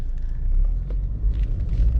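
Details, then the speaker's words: Chevy Malibu after throttle body cleaning (had rough idle, stalling, slow starts, code P0121): engine settles at a stop on the drive with a low, even rumble, rpm steady, no dips or stumbles. "i come to a stop rpm stay nice and steady"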